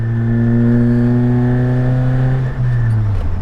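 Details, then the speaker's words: Suzuki Jimny on a test drive with a broken, holed rear muffler box leaking exhaust: loud, deep, blatty drone rising with throttle, far louder than stock, droning off throttle; exhaust leak from holed muffler. "so as you can hear it's not bad it sounds quite good actually oh at least in my opinion anyway to be just broken and not made to be like this"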